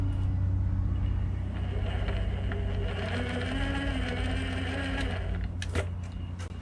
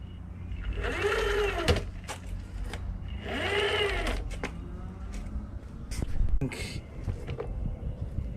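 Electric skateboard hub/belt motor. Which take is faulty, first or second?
second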